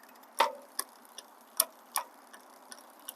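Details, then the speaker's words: Lectric e-bike with Shimano Tourney derailleur: sharp clicks about twice a second as the chain tries to jump from seventh to sixth gear because the high limit (H) screw is turned too far; backing the screw off reduces it. "that means it's trying to jump up that excessive noise what you're hearing is it's trying to jump up to the next gear to the sixth gear"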